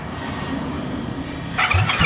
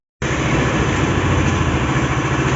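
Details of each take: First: SYM Maxsym 400i scooter with spark and injector working but no start: starter churns in uneven bursts, no firing, no rise to idle; cranks but will not start, cause suspected, not confirmed. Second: SYM Maxsym 400i scooter after fixing its no-start fault: engine catches and settles into a fairly steady idle with no stalling or hunting; runs healthy now.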